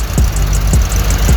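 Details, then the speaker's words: 18hp Murray V-twin riding mower after carb cleaning: steady, even low idle with a soft regular beat, no surging or hunting; earlier surging and rough idle fixed by cleaning the carburetor. "Runs good now. Clean the carb out. It was kind of surging for a little bit. So, but I cleaned the carb out some."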